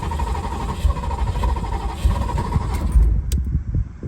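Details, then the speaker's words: Abandoned Ferrari 308 unused for 15 years, with new expensive ECU, wiring and fuel fixes, still on old boards before swap: low, rough starter churning about three seconds, never catches; cranking, no start. "Not even starting. Let's put a little pedal on the gas down there."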